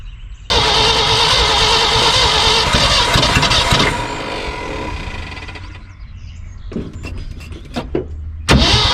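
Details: 1974 Ford F-750 dump truck sat about 5 years, rebuilt carburetor, spark confirmed: long steady starter cranking with no firing, then engine finally catches; slow start after long idle.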